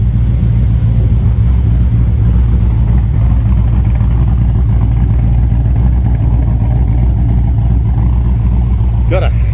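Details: L98 V8, first fire-up, with fuel pressure reading a little low: deep, steady V8 rumble at an even idle with no misfire or stumble; normal idle.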